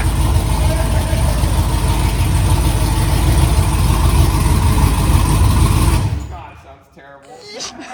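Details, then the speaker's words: LS-swapped OBS Chevy truck first start after three years, open headers: loud, uneven, lumpy V8 idle for about six seconds, then shut off; rough running, cause not pinned down. "sounds terrible sounds started up and ran dude"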